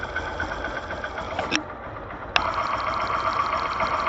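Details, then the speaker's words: Engine idle heard through a Phillips screwdriver used as a stethoscope: even, quick mechanical patter with no heavy knock; pistons working normally. "barulho da pauzudo comendo trabalhando direitinho"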